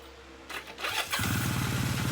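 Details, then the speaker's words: 1978 Kawasaki KZ400 after exhaust and carburetor install: short starter whir, catches at once and settles into an even idle; starts like butter, kill switch works. "Look at that. I mean like butter. Kill switch works."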